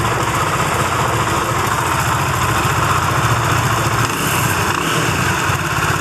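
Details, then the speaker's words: Benelli TNT25 250cc motorcycle idling with a fast, light buzzy rattle like a bee or a loose nut inside, heard most on one side near the camshafts; three mechanics couldn't find the cause; top-end rattle, cause unconfirmed. "pero el ruido en sí es ese que hace como una abejita como una yo lo escucho más de este lado en la zona de los árboles del leva"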